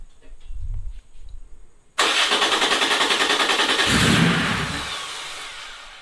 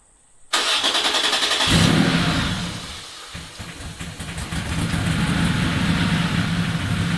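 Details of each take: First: Porsche 911 3.0SC air-cooled engine newly converted to EFI and turbo, on its first start: cranks, catches and revs briefly with a fast pulsing beat, then dies. Owner suspects the idle valve isn't supplying enough idle air. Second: Air-cooled Porsche 911 3.0SC converted to EFI and turbo, 3.2 throttle body with the idle air bleed screw opened one turn because the idle valve isn't working well: it starts at once, idles steadily and returns cleanly from throttle blips. Normal idle and revs.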